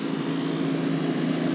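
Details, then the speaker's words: PTAC unit after replacing a cracked fan blade, expelling heat, not yet mounted in the wall: a steady, even hum with a low constant tone and no knocking or rubbing; normal running, slight motor vibration noted. "It's running better than it's ever ran before. Oh, it's expelling heat."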